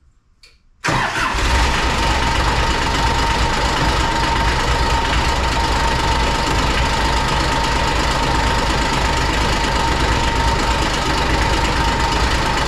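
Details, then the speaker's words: 2001 Kawasaki Mule 2510 diesel: fires up into a loud idle with a steady metallic rattle that went away with a little throttle; with the clutches removed it ran quiet, so the idle rattle is a worn drive clutch bushing. "Now this machine rattled really bad at idle. It would go away once you gave it a little bit of throttle, but I wanted to confirm whether or not that was coming from the clutch,"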